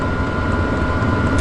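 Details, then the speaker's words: Chinese diesel heater on a cold startup in a hot tent, fuel pump ticking: a loud, even roar with a steady mid-pitched fan hum, no knocks or surging. It is loud only while winding up at initial startup and quiets once running. Normal. "i think it's really winding up now hear that it's not always that loud"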